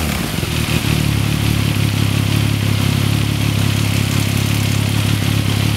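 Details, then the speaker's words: 2014 Yamaha MT-09 triple at idle, 28,000 km, with the auto cam chain tensioner deliberately backed off: fast, loose metallic chatter over the idle beat is cam chain slap. Rattle first appeared around 6,000 km. Fix is an M6×25 bolt lightly bearing on the tensioner, then backed off slightly and locked. "那我现在就来把内链放松，让大家听一下这个声音。因为有时候其实很多人问这个问题，就其实它的声音很正常，因为多少会有一些正常机械声。"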